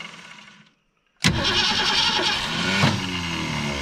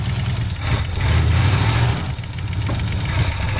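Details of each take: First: 1984 Ford Thunderbird 5.0 V8, sitting for years, fuel poured into the carburetor top: a brief crank, then it catches and fires roughly. Each time it tries to fire, the starter disengages and jumps out. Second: Engine revived after sitting for years, cranked up again; deep, steady low rumble with mild throttle swells, no knocks, misses or squeals; runs good and healthy.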